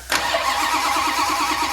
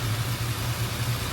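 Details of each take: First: 1968 Dodge Coronet R/T numbers-matching 440 V8, rebuilt with roller cam, MagnaFlow exhaust, temporary carburetor, first start in forty years: brief cranking, then fires into a deep, steady idle with one blip; healthy start, runs well. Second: 1968 Dodge Coronet R/T with rebuilt numbers-matching 440 V8, just warmed up: lumpy uneven idle rising and falling beat to beat; owner suspects a plugged idle circuit and notes some detonation.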